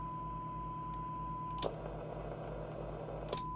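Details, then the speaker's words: Albrecht AE6690 CB radio receiving a weak signal of about 3 microvolts as the attenuator is turned down: thin tone over a rough buzzing hum with clicks. Sounds badly distorted; the receiver is out of alignment. "So now as I turn the attenuator down, oh, it just sounds lousy, doesn't it? Oh my goodness."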